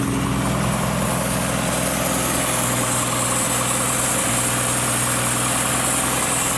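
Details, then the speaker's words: 1962 Ford Falcon with original Holley carburetor just installed; idle slightly uneven and loping over a steady hiss; vacuum leak found on top of the fuel pump. "I got a vacuum. I have to pull the air cleaner back off. Sounds like it's got a vacuum leak."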